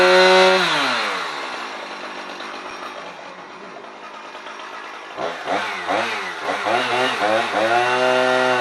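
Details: Husqvarna 455 Rancher chainsaw after a new spark plug, air filter already ruled out, on owner-mixed fuel: revs sag while cutting, then surge when the chain comes free. It loses power under load; cause suspected, not confirmed.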